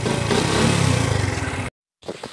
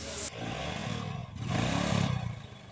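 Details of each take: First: XRM 125 motorcycle idling in neutral after an overhaul with new bearings, having previously made a grinding noise: a low, slow, even putter with no knock or rattle; normal idle after the repair. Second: Honda XRM 125 motorcycle engine revved: rough, gravelly grinding clatter like stones being ground inside, swelling with each throttle blip, from worn crankshaft main bearings.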